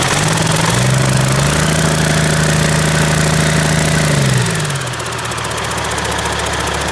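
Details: Caterpillar C-15 diesel at first start after a full overhaul, with good oil pressure. Steady, even idle with a firm low drone that settles slightly lower; no knocks, rattles or vibration, so it runs healthy.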